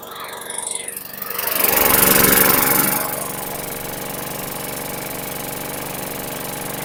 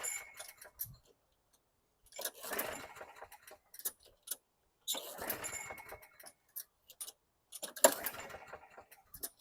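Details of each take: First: 2010 Lawn-Boy 10642 20-inch mulching/bagging self-propelled mower, 6.75 engine (Quantum), after maintenance: small single-cylinder engine swells then settles into a steady, even run with clean regular firing; runs healthy. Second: 2010 Lawn-Boy 10642 mower, 6.75 Quantum engine, after service and a full tank of gas with Marvel Mystery Oil: several rope pulls, each a brief whirring rattle that dies away, never firing. It earlier started on the third pull.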